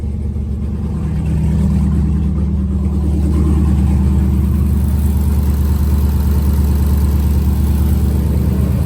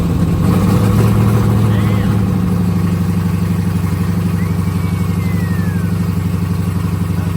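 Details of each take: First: Jeep SRT8 with 392 Hemi V8, first start after fuel system work, coolant low and temp reading about 88 degrees: deep smooth rumble swelling slightly under load then settling into a steady, even idle without ticks or knocks; healthy. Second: Jeep SRT8 392 Hemi first startup after acquisition: lumpy V8 idle pulsing about four times a second with a loose tinny rattle; mid pipe not bolted to the exhaust, flange spinning at its joint.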